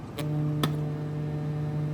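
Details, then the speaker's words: Kinyo SW6106 2.1 multimedia speaker, driver with dust cap removed, playing a 150 Hz test tone at low volume: a buzzy rattle with sharp clicks from a loose screw vibrating. Loose screw rattle. "That sounds like shit. The screw was rattling."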